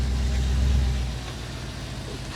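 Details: Audi RS4 4.2L V8, 150,000 miles, after first carbon clean and new injectors; deep, steady rumble settling from a light rev to an even idle, no misfire or ticking.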